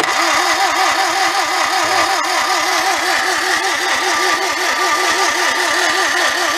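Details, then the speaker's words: 1955 Morris Oxford parked for 33 years, no spark; battery possibly connected backwards. The starter cranks slowly and unevenly while the starter switch contacts overheat and smoke. Wiggling the connections helped; high-resistance battery connections may need cleaning. "Yeah, I think we may have to take these apart and clean them. It sounds like it's got like a high resistance going across them. So like I wiggled them around a little bit and it helped it."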